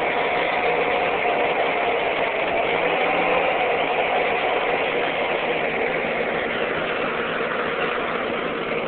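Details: Ford 8N tractor after its wiring was fixed, engine already hot: a steady, even drone with a smooth beat of about 3.5 per second and no misses or stumbles. Running much better than before.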